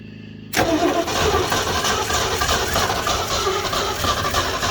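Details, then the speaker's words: 1969 Ford F100 shortbed that sat for years with no hood, engine was stuck, spark confirmed, out of gear; steady cranking with rhythmic churning under a little throttle, only trying to catch: cranks but will not start. "Give it a little gas, it's trying. Like I said, this old car may be no good."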